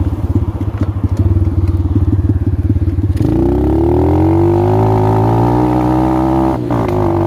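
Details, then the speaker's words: X-Pro dirt bike at idle and revving: an uneven, lumpy idle with irregular beats, staying rough when revved, easily mistaken for a carburetor fault. Ignition misfire because the reinstalled ignition coil was left ungrounded. "So you're gonna get something that sounds like a miss whenever you have a bad ignition coil or faulty wiring. And a lot of people are mistaking it for a bad carburetor, but that is not the case."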